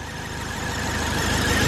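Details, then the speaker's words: Ford Focus, idling after long sitting: steady high squeal over the engine holding constant pitch; accessory belt squeal, owner suspects belt stiff from sitting, cause not confirmed. "so i have to look into that see what it is i mean it could be that the car's been sitting for who knows how long and the belt is just not used to being a belt"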